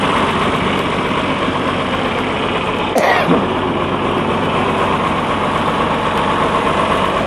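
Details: John Deere combine diesel: steady, even idle clatter with no misses, knocks or hunting, a healthy-running old engine.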